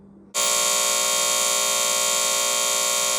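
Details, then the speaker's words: Trane XE90 furnace: a loud, steady electrical buzz starts abruptly when the breaker is switched on and holds constant, felt at the control board; solid LED code shows internal control failure; board to be replaced. "so I just turned the breaker onto the furnace you can hear that buzzing noise it's definitely coming from right here if you can even feel it"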